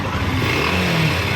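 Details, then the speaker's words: NS150 motorcycle with a loose connecting rod (large up-down play) and damaged cylinder block: rough metallic knock on a short hard rev, quiet at idle; worn connecting rod knocking; converted to an LS135 block. "Yan. Yan yung tama ng Conrad. Pero tahimik siya naka-minor."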